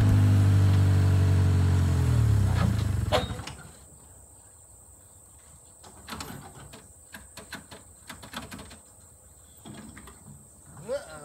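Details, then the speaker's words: 1972 Toyota FG20 forklift moving a junk VW Beetle, running a little warm after showing oil pressure and no overheating: a heavy low drone for about three seconds, then an abrupt die to silence; the engine stalled under load. "if you listen closely coming up right now is the last utterance of the"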